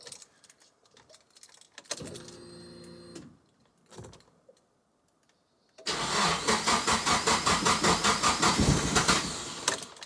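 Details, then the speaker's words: Nissan S15 Silvia after fuel system upgrade with new Aeroflow pumps and Raceworks surge tank: starter cranks steadily about 2.5 beats per second but engine never fires; crank no start, owner thinks air in the lines, E85 not yet added to tank. "all right let's go give it a crack hey"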